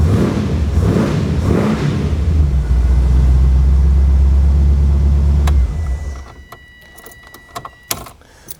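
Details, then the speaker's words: 1980 Triumph TR8 with Rover 3.5 V8 and aftermarket headers: after hard starting (starter solenoid suspected of heat soak), engine catches and runs a steady, even low rumble with no knocks or misses, then shuts down; healthy running. "Anyways, like I said, it runs great if you can get it to start."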